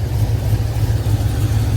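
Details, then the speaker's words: Box Chevy V8 after cam install, idling with deep uneven loping chop; exhaust quieter than before; owner suspects the fuel pump isn't delivering enough, since it wants more gas when coming off throttle. "it could be the fuel pump though it maybe it's not pushing out enough"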